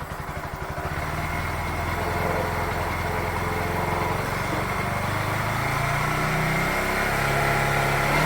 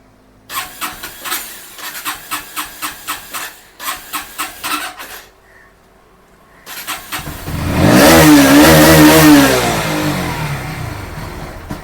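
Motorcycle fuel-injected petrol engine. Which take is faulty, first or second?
second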